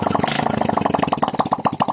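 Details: Honda XRM 125 after dismantle and reassembly for white smoke and oil consumption; crisp single-cylinder putter, steady even beat about a dozen pulses a second, healthy: normal idle.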